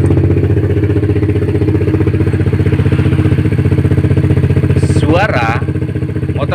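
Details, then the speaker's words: Yamaha Jupiter MX new after fitting a cheaper non-original (KW) cylinder block and piston, cleaned not ported, radiator refilled: steady even idle with regular quick pulse, no ticks or knocks, smooth; long-term durability unknown. "ini menjadi halus ya tidak ada suara-suara abnormal walaupun kita menggunakan blok yang kualitasnya"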